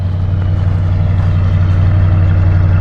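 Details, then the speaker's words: Barn-find 1977 Lincoln Continental Town Coupe V8, parked for years, original exhaust, first run after start-up: deep, steady idle burble with even firing, no misses, knocks or ticks; running really well. "But it's running really good. Sounds great."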